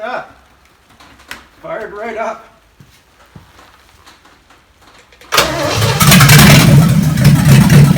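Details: Chevy 283 V8 Marketplace find, run again on the shop floor before a compression test: quiet, then catches straight away into strong even run, no misses or knocks; runs so good.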